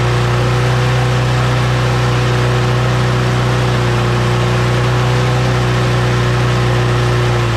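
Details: Small engine, just blown out and cleaned with an air compressor, reassembled and primed three times, holds a strong, even drone at constant pitch with no stumbling or surging; it runs smoothly and steadily.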